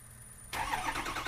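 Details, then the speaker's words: 2004 Ford F-250 Super Duty 6.0L diesel, block heater plugged in: cranks and tries to catch with a few uneven firing bursts but never idles; crank no start from fuel starvation, clogged fuel filters. "it attempts to catch it attempts to turn over but it just it doesn't do it it almost seems like it's not getting fuel that it needs"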